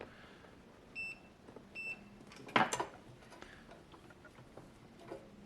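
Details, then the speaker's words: TEVO 2 kW infrared heater SNBHTR, no power: continuity tester gives two sharp high beeps straight across a diode, likely a zener making the chip's supply rail; diode shorted. "could be acting as a Zena to create the rail oh look looks like a short to me"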